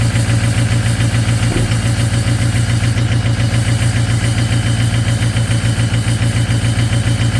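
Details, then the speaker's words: Ford 6.0 Powerstroke diesel at -2°F, high cold idle: deep clatter with a steady, slightly uneven pulse about 3–4 a second; partially gelled fuel starving the engine; anti-gel additive cleared it. "So I went for a drive after it warmed up, and it had no power, and it sounded really weird, and it was almost sounded like it was missing. Turns out the fuel was gelled."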